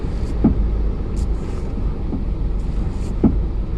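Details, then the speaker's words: Hyundai Accent at about 135,000 km with air conditioning on: three dull, isolated clunks over road rumble when the steering wheel is turned while stopped; steering clunk, cause unknown. "응서 있을 때 핸들 돌릴 때 소리 나니 그 이래서 차를 오래 타봐야 돼음 뚝뚝 소리가 나네요"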